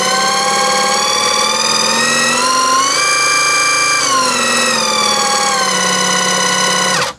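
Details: Battery-powered airless paint sprayer on setting one. Smooth, steady motor whine climbs in pitch, holds, then drops back before spinning down; the motor runs normally. Its intermittent failure to prime or spray comes from the one-way ball valve under the cup filter.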